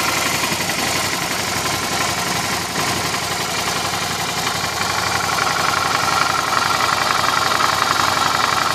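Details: Suzuki V-Strom at idle with a strange noise: a light, fairly even tapping about four times a second rides on top of the steady idle; an odd top-end noise of unknown cause.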